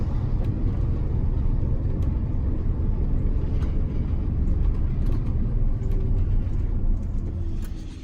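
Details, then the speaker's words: GM 4104 bus on a test drive after a transmission swap for a bad bevel gear, plus a new clutch and rear main seal: low, even road rumble with no gear whine, far quieter than the earlier roaring whine. "well I can tell you the ride in here is 90% quieter yeah it'd be roaring right now"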